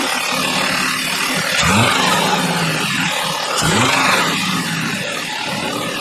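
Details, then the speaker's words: 2012 Audi 3.2 V6 after a thermostat replacement, with the throttle body connector reconnected after an earlier bad miss. Loud, even engine note with two quick rev blips that rise and settle cleanly; no stumble, running smooth and healthy. "That looks better. Much better."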